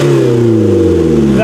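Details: Mazda 3 demolition derby car, previously running on three cylinders, after a new coil pack: engine revs cleanly and falls away smoothly, all cylinders firing evenly with no stumble or miss.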